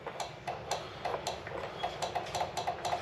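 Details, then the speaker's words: Cub Cadet RZT 42 zero-turn mower, likely dead battery, trying to crank: sharp regular clicks about three or four a second over a steady hum from the PTO clutch area; PTO clicking, power not getting through. "that's the PTO making that noise so we got to figure out why we're not getting the juice to here"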